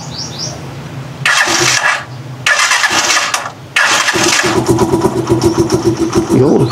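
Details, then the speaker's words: Rusi Chariot 175 trike after changing to Bajaj oil, previously noisy with old oil: two cranks, then the single fires into a quick, even putter at idle with no rattle; normal idle. "Napakatahimik din ng makina nito guys."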